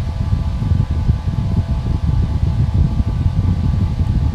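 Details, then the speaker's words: Vintage 1950s/1960s metal electric fan, plugged in with no switch, after a few seconds reaching full speed: low smooth whoosh and hum with no rattle or ticking; an initial slight rattle, likely from a misshapen cage, has shaken out. "So you can see that it took it a few seconds to get up to speed, and at this point it is at full speed."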